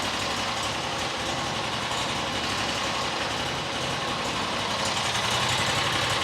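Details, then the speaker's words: New John Deere XUV side-by-side petrol engine after fuel filter replacement, previously would not idle: fires up and holds a steady, smooth idle without hunting or stalling, idling much better than before; normal idle. "Got to let some fuel get pumped up in there. Idling now. Idling a lot better than it was."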